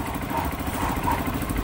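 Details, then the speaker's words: Honda CRF150 single, previously noisy with a knock, now quiet: even idle with a steady beat and no deep knock under it; bottom end sounds healthy. "So CRF to guys so hindi na siya maingay. Yung dati kasi maingay to eh."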